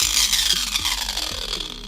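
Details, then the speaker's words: Bosch angle grinder before repair; harsh high rasping grind with rough uneven texture over the motor whine as it spins down, a very ugly noise from worn pinion gears in the gearbox. "Avem o problemă la el. Sunt uzate pinioanele din flex. O să-i dăm drumul puțin să vedem cum se aude."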